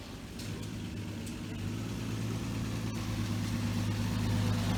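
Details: 1966 Dodge Dart GT, Slant Six 225, pulling away on a wet road after the timing was reset to way advanced (about 20–25° BTDC). Smooth, even low drone building with road speed, no popping or stumble. Running much better, normal.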